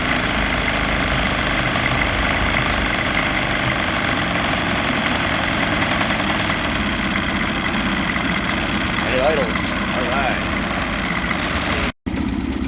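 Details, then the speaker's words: Vintage barn-find boat outboard on its first run in 20+ years, idling on the water: a steady, even idle with no misses, surges or knocks over water and wind noise. Normal idle. "so far so good she idles she's running smooth"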